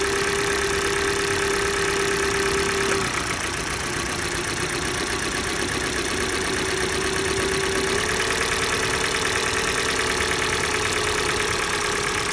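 Cold idle carries a light regular tapping near three per second; the idle dips and shifts as cylinders drop out, knock persisting.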